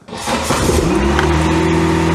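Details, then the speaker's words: VW MK2 Scirocco that failed its MOT on emissions and was running on three cylinders. After cylinder work with oil added, it fires immediately on all four, not smoky, but the idle still wavers, fluttery with some splutter; mixture being adjusted. "Four cylinders immediately. Immediately running on four. That's already better. We're a little bit fluttery."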